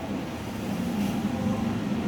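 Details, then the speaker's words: Hyundai Accent with code P0121 and no power, after replacing the throttle position sensor and resetting codes: engine revved, pulling cleanly and evenly with smooth rising hum, no stumble; check engine light gone, power restored, throttle was the problem. "Yun, wala nang check engine. I-rev natin kung persado na ba. Yun, persado na."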